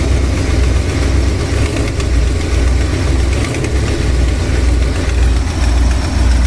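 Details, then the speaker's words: Ford Jayco RV: uneven light clicking from one side over a low idle, louder on fast acceleration or under load. The owner suspects an exhaust manifold gasket leak, a vacuum leak or a spark plug wire, unconfirmed. "you can hear that if I accelerate slowly you don't hear it but if I do this if I accelerate fast or if I put load when I'm driving"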